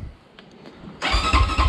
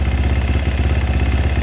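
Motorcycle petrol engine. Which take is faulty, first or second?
first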